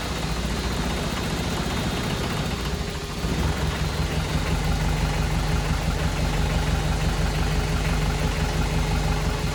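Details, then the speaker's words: VW 1.6 NA diesel swapped into a Ford Ranger, first start after rebuild with new piston and cylinder head after exhaust valve failure: heavy, lumpy low idle with shaking drone, vibrating far more than normal; owner suspects air in fuel. "uhoh yeah normally vibrates a lot but that seems like a lot more than normal more vition"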